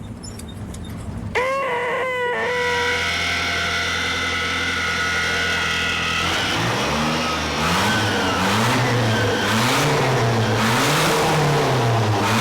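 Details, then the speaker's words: Nissan truck engine, restarted after sitting over a year: a high, steady squeal rides over the engine as revs rise and fall. The idler pulley bearing is junk and needs replacing. "this bearing's junk that's what squealing is this bearing yeah you're going to need a be we got to we got to take that off and find an idler that's junk"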